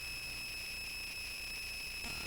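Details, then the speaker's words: Touch Board: steady high-pitched electrical whine with faint hiss on the audio output, worse after changing the input power source and worse while the recorded voice plays; owner suspects the board lacks good filtering. "ng sound and i'm not quite sure why it's so noisy and it actually got worse when i changed the input power source so i'm just thinking it's not uh it just does it doesn't have a great filter on it or anything"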